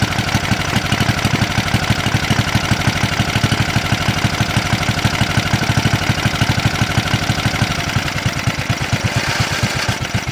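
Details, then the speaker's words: Simplicity SunRunner junkyard mower, first start after repair: the ignition switch was replaced and contacts including the PTO switch were cleaned to fix the ignition interlock killing spark. The small engine holds a steady, even putter at about three firing beats a second with no misses. "seems to run pretty good"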